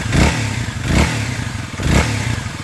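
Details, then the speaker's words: Kawasaki KLX 300 after an airbox upgrade using a KDX part: three quick throttle blips with a slightly deeper, throaty intake roar; only a small difference from stock, revving cleanly; normal. "Oh yeah, there's a little bit of a little deeper roar coming through the intake there. You can hear it. Not much of a difference, but"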